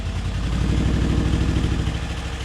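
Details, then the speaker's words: BMW E70 X5M idling after an intake active test, with misfire faults on cylinders 5, 6, 7, one bank: loud, lumpy, stumbling idle with deep rumble, sounds horrible; cause unconfirmed. "It sounds horrible now. Really bad."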